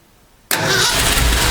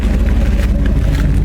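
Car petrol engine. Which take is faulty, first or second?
first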